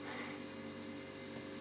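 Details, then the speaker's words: Climadiff CVP 172 wine cellar compressor running with a loud unpleasant double noise: motor hum plus a metallic bell-like ringing; a pipe connected to the compressor touches the underside of the tray, likely resonating against it. "il y a un bruit comme un bruit de métal un bruit de cloche"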